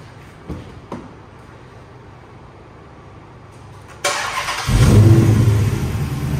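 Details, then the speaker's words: 2007 Dodge Magnum SRT8, 6.1L Hemi V8, about 14,800 miles, MSD coil packs, K&N cold air intake, SLP cat-back exhaust, fully serviced: quiet lead-in then sharp catch into deep, steady, even V8 rumble; healthy start-up. "That great V8 rumble sound, especially with that SLP catback on it now."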